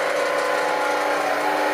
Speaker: That's the bearing that's making that sound.